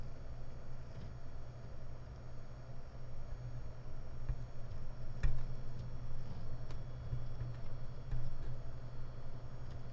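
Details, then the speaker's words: WD Red 12TB helium NAS hard drive, SMART good, 29–44 °C: sharp isolated irregular ticks about a second apart over steady low hum as heads return to base, strong vibration felt; same on all four drives; head parking tick. "I can tell the noise is from the head movement. Whenever the head's back to the base, it gives me a big tick sound. I can hear that from a distance."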